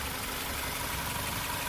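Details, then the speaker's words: 2021 Maruti Suzuki Swift Dzire Tour CNG running on CNG: steady, even idle with a smooth hum, no vibration and no knocks or misses. Normal idle. "So smooth గా engine కూడా ఎక్కడ vibration లేదు చూసారా engine అయితే ఎక్కడ vibration ఉండదు sound వస్తుంది వినిపిస్తుందా సౌండ్ అయితే స్మూత్ గా ఉంది."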